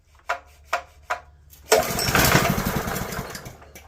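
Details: Long-dormant Honda GX160 junkyard engine, with choke on: three quick pull-cord strokes without firing, then a rough burst of noise. It cranks but won't start because of a clogged carburetor.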